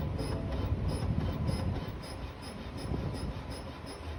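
Over the cold idle there's a sharp high chirp repeating about three times a second, steady and unexplained, so the source is still unknown.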